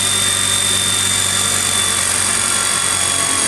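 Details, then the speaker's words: Series (universal) motor on a dynamometer at about 74.7 V DC and 122 A: about 3,000 rpm at low load, 2,800 rpm at 1 ft-lb, then loaded to 2 ft-lb. Brush hiss and whine as speed drops with torque, far more than a shunt motor. "And you can hear dramatically how the series motor changes speed, much more than the shunt motor."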